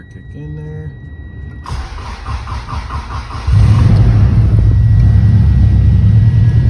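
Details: 1997 Subaru Impreza GC8 STI, first start after installing a Walbro fuel pump, on a boosted weak battery, recorded on an iPhone: the starter cranks about two seconds, then the engine catches cleanly into a steady, even idle with no misses and no leaks.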